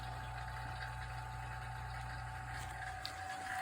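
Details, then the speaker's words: Vacuum pump evacuating a Hyundai Tucson AC system after compressor replacement, ballast valve open, starting to draw down toward under 500 microns: even, steady drone with a mid-pitched whine, no knocks or surging. Normal operation. "Probably take a few minutes to start. Uh oh, there we go. It's drawing down."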